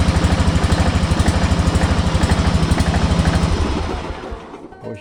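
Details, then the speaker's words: Kawasaki FB460V small engine, after years on ethanol gas, suspected carbon fouling treated with new plug and a bottle of Seafoam: quick even thumping beat running steadily, then winding down; sounds healthy. "actually sounds really good uh that's kind of a testament to that seafoam stuff"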